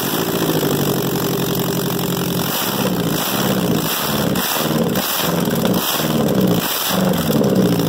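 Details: 2002 Ford Focus running with the catalytic converter removed: loud, raspy exhaust with a deep throbbing beat that swells as revs rise and fall.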